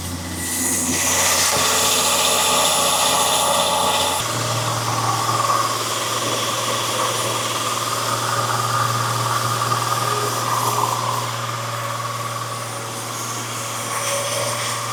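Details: Freshly rebuilt 300 inline-six in a 1984 F150, just fired on first start for cam break-in: the engine settles into a steady, even drone with no knocks or misses. Normal fast idle.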